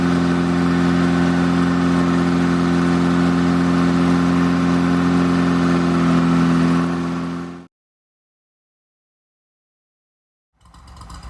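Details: Rebuilt air-cooled VW Beetle engine during cam break-in: strong, even drone at steady raised speed with a smooth regular beat, then a clean shutdown; normal fast idle.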